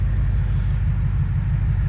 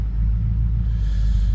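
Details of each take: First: 2004 BMW 645Ci: low, steady rumble at about 700 rpm with an even beat and no misses or knocks; normal idle. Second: BMW 645Ci being refreshed for age and wear: a deep low rumble with the idle swelling and sagging unevenly rather than holding steady. The engine is hunting at idle, which is not right; the cause is unknown.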